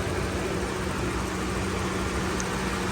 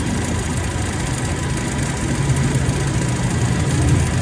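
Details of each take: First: Toyota Revo at idle with AC on, after recharging and adding oil to the AC compressor: a steady, even hum with no rattle or scraping. Gauges read about 43, then 175 up to 225, and the compressor is now quiet. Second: Toyota Revo, idling with AC on before repair: rough, uneven knocking chatter from the AC compressor. The mechanic attributes the noise to the compressor being low on or dried of oil and says adding oil usually cures it.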